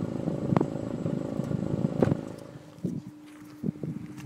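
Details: Honda S2000 idling unevenly with a sharp stumble every second or so at irregular intervals; misfire at idle.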